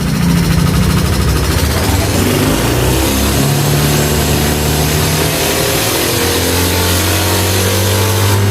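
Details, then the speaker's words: Yamaha NMAX/Aerox new scooter revved slowly: rough ticking valvetrain rattle that turns smooth when variable valve timing (VVA) engages and rough again when it drops off; failed intake rocker arm bearing. "Nah halus lagi, dilepas pipi nya mati, langsung normal, suaranya ke semula kasar gitu."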